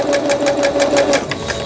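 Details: Singer Stylist 7258 after repair of an E4 error, a shifted lower-shaft gear, a sensor fault and a slipped timing belt: even, quick ticking of about seven stitches a second over a light motor hum; smooth forward sewing after reverse.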